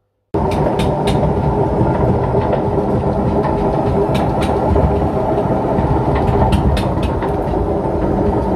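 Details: Front-loading washing machine on spin, around 200 rpm rising toward 1000–1200 rpm: loud steady rumbling roar with a faint hum and light clicks; owner suspects worn bearings needing replacement.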